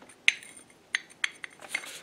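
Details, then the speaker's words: 1966 Mustang door hinge, cleaned up before rebuild, rocked by hand; sharp metallic clicks and clunks from play in the worn hinge pin and bushings, which are to be replaced. "all right with the hinge all cleaned up you can actually hear the sound and maybe see the play that's in there"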